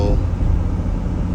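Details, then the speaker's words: 2005 Jeep Grand Cherokee Laredo after replacing the bad idler pulley, driving with revs building: steady low engine and road rumble, no squeal rising as revs climb, unlike before; normal belt drive. "You don't hear no squeaking, high pitch squeaking anymore. Even when I drive it and let the RPMs build."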